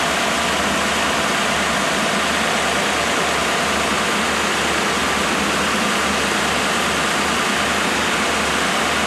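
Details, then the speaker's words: Freshly rebuilt 1987 Mercedes-Benz 560SL engine during break-in, warm start, microphone at front of engine: smooth steady running under loud even radiator fan rush, timing chain tensioning audible, no knocks or ticks; healthy. "The fan kicked in, but that's still The actual engine is so quiet that I can hear the chain tensioning."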